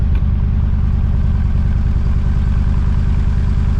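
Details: 454 big-block V8 in a Honda Civic, about 2 minutes after start and warming: lumpy but even idle with a regular low thump, heard at the clean bank. This side runs smooth with no misfire, while the other side is smoky. The owner suspects plugs, which were never changed and were run backwards.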